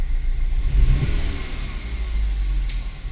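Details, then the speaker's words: 2013 Chevy Malibu at about 130,000 miles; after the cylinder 3 ignition coil was swapped to cylinder 4, the misfire followed to cylinder 4. Revving gives an uneven, stumbling low rumble; misfire from a faulty ignition coil. "okay I think that's our problem guys y me fire move with ignition after I SWA the ignition Co to cylinder 4 as you guys see here the mfire number keep going"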